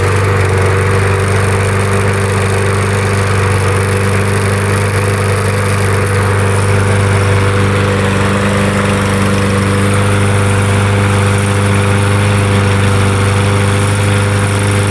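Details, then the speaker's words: Troy-Bilt TB200 self-propelled push mower with old-smelling gas that would not start this season: the small engine runs steady on sprayed carb cleaner, then dies. This points to fuel delivery, so it needs a carburetor cleaning and fresh gas. "it just needs a carb clean and fresh gas cuz normally it'll just shut off when you spray the carb cleaner in there it'll just shut off after a few seconds cuz this one stayed running"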